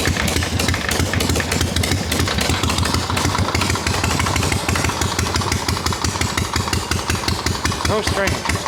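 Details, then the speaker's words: Harley XLCH chopper, bench-running, not yet ridden: steady lumpy V-twin idle with a faint continuous scraping underneath. Owner says something's rubbing inside the clutch. Cause suspected, not confirmed. "Something's wrong inside that clutch. Something's rubbing."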